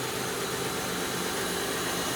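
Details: 2002 Kia Sedona just after replacing the noisy power steering pump, belt and idler pulley, while purging steering air: short smooth idle, even hum, no whine from pump or belts; healthy.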